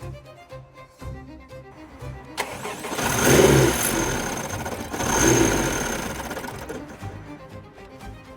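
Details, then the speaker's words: Wrecked Honda Civic Type R FK8, about 35,000 miles, front-impact damage, jump-started: cranks, catches with a rough roar, then dies almost at once, twice over; cause found to be a burst intercooler. "it starts and then it cuts out straight away could it be because the front has taken such an impact the intercooler has burst"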